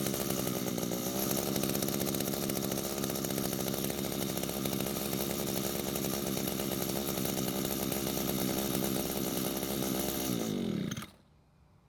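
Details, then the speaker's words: Older gray Echo string trimmer, unused for a long time and not starting, run with the trimmer line loaded: a high, steady two-stroke buzz on choke for about ten seconds, then it sags and dies; carburetor running lean. "so what started and ran on choke which you should not be able to do there should be more fuel than the engine should be able to run on that tells me the carb is not giving the engine enough fuel"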